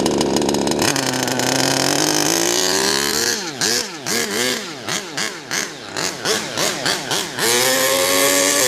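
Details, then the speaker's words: HPI Savage Octane RC car engine, carburetor linkage not yet set so not reaching full throttle: high-pitched buzz rising and snapping cleanly through quick throttle blips; running well. "Running well though. Going well, man. It's going well. Run. Just listen to that run. What a dream. What an absolute dream."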